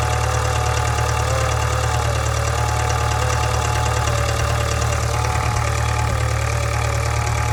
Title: Subaru 2.0 Boxer 2013 год гул и стук в моторе